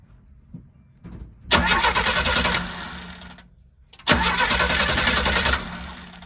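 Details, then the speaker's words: 1968 Chevrolet G10 van, 250 CID with a one-barrel Rochester Monojet carburetor, cold after sitting overnight, choke held closed by hand: two long cranking bursts at about three turns a second, never catching; faulty choke suspected. "Still not working right."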